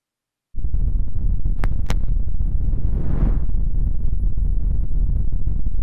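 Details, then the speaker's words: 2003 Honda Shadow Spirit VT750 on non-ethanol fuel, before its yearly carb cleaning. Deep, lumpy idle with widely spaced, uneven beats; it runs on one cylinder, a long-standing problem the owner blames on the carbs. "So, as you can hear, this thing's just running on one cylinder."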